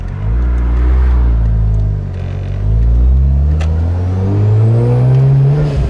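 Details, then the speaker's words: Turbo Mazda RX-8 rotary on ethanol in hot 34-degree weather: the drone climbs, sags and surges as revs build, a hesitation under acceleration when a feature is switched on; timing needs tuning. "Turned on. And that's when the hesitation happens. Yeah. Okay, so it is that. How annoying. Yeah, we just need to tune the timing."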